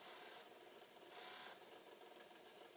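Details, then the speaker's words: Possibly flood-damaged Commodore C2N datasette rewinding a 90-minute tape: quiet, even fast whirring with no stalls; rewind runs freely, while fast forward balked and play slowed. "wow yeah that well that's interesting so rewind it's really cooking"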